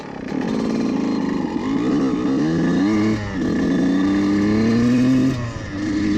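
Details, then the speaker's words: Two-stroke dirt bike with the needle clip in the richest position, ridden at about half throttle through the gears: raspy revs stutter and cut out in the midrange, where the needle affects running, indicating it is too rich. "donner un autre coup ici vous pouvez entendre juste dans le milieu de gamme là, il est un peu de découpage qui est juste là où cette aiguille serait affectant"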